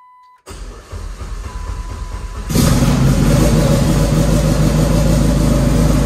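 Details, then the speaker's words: Dodge Caliber SRT4 just after installing a Precision 6266 turbo with coated manifold, exhaust wrap and new gasket, first start after oil priming: brief crank, then steady even idle with no ticking or puffing, no apparent exhaust leaks; runs fine, new tune still needed. "so well guys i'm going to call that a success uh the car cranks runs fine idle's fine"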